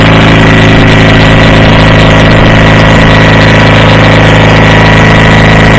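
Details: Approx. 1976 Sears GT18 tractor, Onan 18 HP, after carburetor cleaning and fuel pump rebuild, air cleaner off, choke off after a choked start. An even idle with no stumbling, surging or knocking, normal idle.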